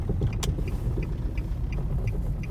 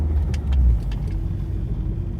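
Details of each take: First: 2006 Nissan Altima misfiring while driving, with a deep, uneven stumbling rumble and the check engine light flashing. Cylinder 2 was misfiring, and the coil pack was replaced to fix it. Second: 2006 Nissan Altima on a drive after a misfire fix (coil pack or spark plug suspected); smooth even pull with low steady drone, no jolting, much more power, flashing check engine light stopped — normal running.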